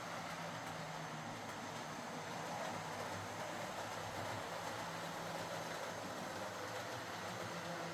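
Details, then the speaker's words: Model HST power car with high mileage and worn brushes, test-run after a full ring field service, bogie cleanup and replacement brushes: smooth, constant motor drone over soft track noise, no grinding or surging. Normal running. "So, a full ring field service, bogey cleanup, and replacement brushes was needed to bring this back into running order."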